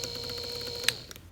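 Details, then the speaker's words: Samsung washer drain pump (ND no-drain error), new replacement motor and pump tested: clicks right on, steady high whine, smooth with full torque, no wobble or rattle, unlike the old used motor. "Okay, here's the same scenario with the new motor and pump. You can see how much smoother this runs. Clicks right on. Full torque."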